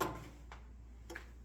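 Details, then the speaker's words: 1968 Ford F100 truck, relay on a carburetor controller tested from its app: sharp single clicks as the relay pulls in; switching normally. "you can hear it clicking in so here we go"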